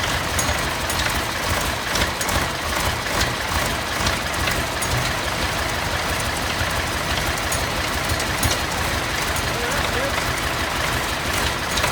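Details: Massey Ferguson 1155 tractor, parked for years over a hydraulic issue, after fuel was primed as far as the filters: diesel clatter runs steadily under heavy noise with no misses or stalling.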